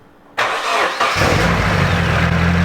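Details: Boosted turbo 240 after a wastegate spacer was installed so the wastegate seats properly: starter catches within a second, then a steady, even idle with smooth low rumble, no puffing or ticking; normal start and idle.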